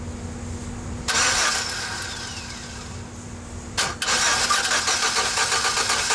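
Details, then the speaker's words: 4.3L GMC V6 pickup that stalled on the road after a banging noise; cranked via jumped starter relay, steady whirring turnover that never fires. Timing mark checks correct, so timing chain is good; fuel pressure next. Crank, no start. "you can also see that the timing light is also blinking in time with us so all right here we're going to go we're going to crank it and check the timing mark"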